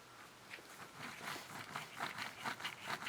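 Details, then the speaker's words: Rear driveshaft centre bearing from a 1992 Toyota Hilux, turned by hand in its rubber carrier: dry gritty crunching and scraping in uneven bursts; bearing is shot, with a plan to try replacing just the bearing rather than the whole carrier. "you can hear that noise. So this bearing is shot."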